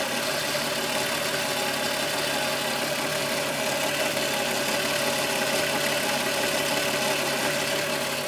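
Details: VW Golf VR6 2.9, 103,000 km, idle: fast, uneven metallic rattle at steady level over the engine note. Chain-rub noise that grew louder after the upper hydraulic tensioner screw was changed; timing chain rubbing suspected.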